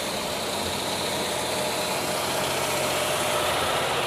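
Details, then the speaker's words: 2000 Vacationer motorhome generator, being run about an hour to heat up before inspection: steady even drone, no knocks, misses or surging; normal generator running. "Generator sounds good still running. Figure I'd keep it running for like an hour or so and just really let it heat up, and then I'll climb underneath, start looking at everything under there."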